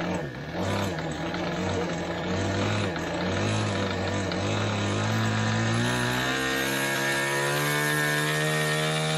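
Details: Glow engine in Ewan's Limbo Dancer model plane on its engine run-up, needles opened a bit, fuel sucked up by hand: a high-pitched buzz climbs steadily, rough and burbly at the low end. Very rich at the bottom end; top end not too bad.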